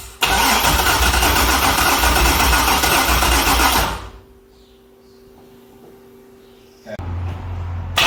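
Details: Chevrolet C6 Corvette with junkyard engine and Terminator X ECU: several seconds of steady cranking with no catch, then quiet, then it fires and settles to idle; no-start traced to dead fuel pump relay circuit.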